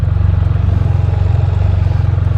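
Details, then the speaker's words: Can-Am Spyder F3-S at idle: steady low idle with a fast, even light ticking over it from the evap purge valve. Normal; short runs may make the system cycle more. "yep just a purge valve he may have been doing some short runs with this thing too that'll that'll make the system run a little more than normal"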